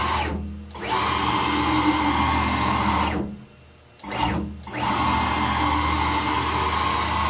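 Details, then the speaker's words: PM-940 CNC mill X axis with a 4.5 Nm (640 oz) closed-loop stepper on 60 VAC, moving at 250 inches a minute: harsh howling screech as it loses steps at excessive speed, without faulting. "so this one did not fault even though you heard when you hear that howling noise that means that the stepper is losing steps"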